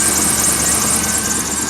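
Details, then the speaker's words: 1991 Chevy Blazer 350 TBI V8, idling steadily with no knock or chatter, under a thin, high, hissy squeal from a slipping alternator belt. "It's got a little bit of alternator squeal. The belt's squealing."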